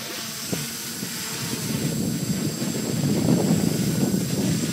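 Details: F450 quadcopter rebuilt from an F550, on a test flight outdoors: a steady propeller buzz that swells as it climbs, with no rattle or stutter in the motors. Normal flight.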